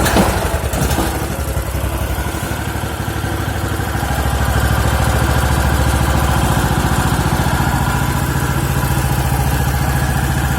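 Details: Champion G390HK single-cylinder engine, first start after overhaul with crankshaft, connecting rod and piston rings replaced: starts and settles into a smooth, even beat about three and a half pulses a second; running normally.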